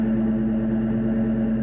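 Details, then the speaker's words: Ford Mustang GT V8 after about three months of sitting, just started in neutral: steady, even idle with a firm low exhaust drone and no knocks or misses. Normal, healthy idle. "so if you guys listen to that motor that exhaust cover I know if the camera is picking up that sound well that's what it sounds like"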